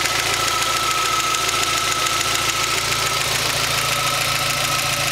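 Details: Rover MG ZR 1.4 16V at hot idle: a fast, steady tapping tick that is absent when cold and fades about a minute after the air conditioning is switched on. The cause is unknown.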